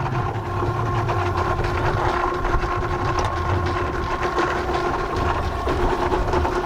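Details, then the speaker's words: Boat generator oil change at about 1200 hours; the sump holds about 4 liters. An electric extraction pump draws out the old oil with a steady hum at constant pitch and low gurgling underneath. Pump working normally. "Oh, here comes the oil. We should open it up. It's there. Oh, I can hear it sucking."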